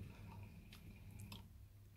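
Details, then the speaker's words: Heating system mid-position valve test, heating and hot water on, room thermostat turned down: quiet pump hum with sharp clicks as valve shifts, pump pauses a split second then restarts; valve switching over normally. "that click the pump stop for the split second then started again"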